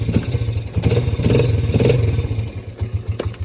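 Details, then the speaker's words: 2005 Raptor 80 quad, three-speed with centrifugal clutch, fixed up by owner: uneven small-engine putter with a few throttle blips, no knocking or grinding; normal running. "this thing pulls like a donkey and it also it's three speed centrifugal clutch it's pretty cool"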